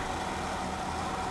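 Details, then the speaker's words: Woodgas truck idling on smaller wood chunks, kept alive only by the blower fan at full blast; it dies once the blower is shut off: low, lumpy idle with a faint blower hum, engine barely holding on. "on the suggestion of uh Mr sheltron I put in much smaller chunks than I had been using and now the truck will idle I left it idling while I went up to the house to get the camera it's just sitting here iding along"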